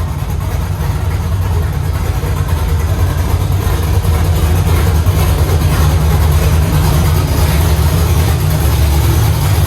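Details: LS-swapped Chevy C10 at first fire with an unknown aftermarket cam (cam card on hand): a deep, loud V8 idle with a choppy lope of about three per second. Some chop may come out in the tune.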